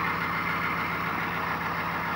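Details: 1995 GMC 6.5L turbo diesel after a cold start, with a new used PMD installed: warm diesel settles into a smooth, even idle with steady clatter and no stumbling or surging; normal idle.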